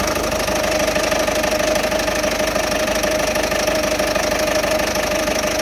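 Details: 2008 Citroen Berlingo 1.6 HDi diesel idling roughly: a regular knock about twice a second over busy clatter, despite recent timing belt, water pump, turbo, EGR and fuel sensor work; no fault codes, cause unknown.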